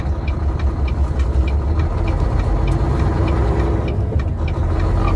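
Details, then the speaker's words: Semi truck diesel hauling a heavy load, running fuel additive in both tanks: labours low and uneven under load with irregular knocking pulses through an intersection; rough running, owner suspects injector problem, possibly cylinder 7. "sounds like I didn't I'm a smart man but I think I need some injector work or something like that huh"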